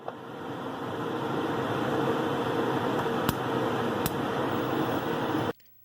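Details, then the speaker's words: Gas stove burner with the keyed burner cap seated in a poorly aligned initial position; a steady gas hiss, then the igniter snaps twice before the gas lights: delayed ignition needing two sparks, fixed by realigning the cap. "this initial burner cap position was not ideal the igniter had to spark twice before the gas was lit"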